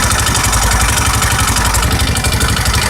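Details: 150cc single-cylinder engine rebuilt after crankshaft bearings were changed: steady idle at about four beats a second, even and free of any knock.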